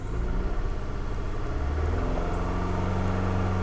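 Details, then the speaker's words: 2006 Toyota Camry with rough running, bogging, loss of power and heavy vibration, check engine light flashing; low idle with a faint uneven shake instead of a smooth hum, worse in reverse: cylinder misfire. "got a little bit of rough running so with the check engine light on and flashing that means that we're possibly causing damage to our catalytic converter here uh it's running kind of rough kind of bogging down so more than likely it's just a misfi"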